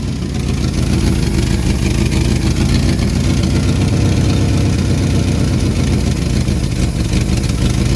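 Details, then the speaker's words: 1974 Ford Bumpside 1-ton, FE 360 with rebuilt Motorcraft 2-barrel: low V8 idle swelling and sagging (hunting); suspected vacuum leak or fuel pump not keeping up; timing later found wrong; slight exhaust leak too. "She's hunting a little bit. Kind of indicates a vacuum leak, right? Yeah. Either that or it's running out of fuel."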